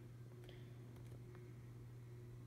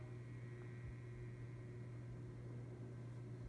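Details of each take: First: Encon ceiling fan salvaged from the trash, with a replaced pull chain, running on high: a steady low electrical hum from the motor at constant pitch in a quiet room. Owner says these Encons are very loud; cause unclear. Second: Encon ceiling fan found in the trash, running on high speed: a steady low electrical motor hum sits under the airflow. These fans are not quiet; it is normal motor hum.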